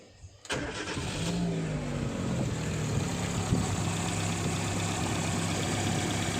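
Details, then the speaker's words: Chevy Aveo U-va started right after timing belt replacement, before refitting the V-belt; short crank, catches and settles into a smooth, steady idle with no ticking or knocking, engine healthy. "और यहाँ गाड़ी बराबर start हो गई है।"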